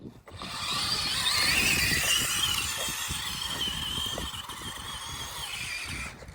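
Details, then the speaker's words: Small ride-on machine being ridden: high, raspy whine and rattle steady with speed, a big noise it did not used to make; owner suspects the gearbox is shot. "It makes a big noise. I didn't hear it. I didn't hear it either."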